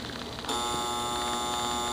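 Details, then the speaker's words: Arvin 47R38 AM/FM clock radio, rear view after reassembly: a harsh, steady electric buzz cuts in abruptly at one even pitch; the alarm buzzer keeps going off unexpectedly, cause not yet found. "you can see I have a q-tip in hear that alarm thing keeps going off I don't know why why it is but I'll show you what happened"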